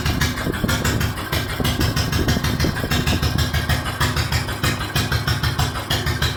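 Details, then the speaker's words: Lister G1 single-cylinder stationary engine, started on the handle without choke after a backfire: loud steady thump with slightly uneven rhythm; owner suspects it runs a little lean, carb jetting and timing unknown. "It's a good old thumper. I've got no idea exactly as to whether the carburetor is jetted right for the engine. It does sound like it's running a little lean, actually."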